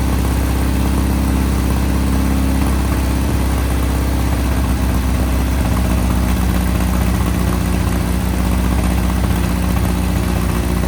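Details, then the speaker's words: 1961 VW Beetle flat-four barn find, first start after sitting in a Texas barn, on a 6-volt battery: a loud, steady low thrum holds even with no misses as revs change. The engine runs normally. "I'm happy with that. Yeah. It doesn't even sound like it gets a little sputtery with the higher rev."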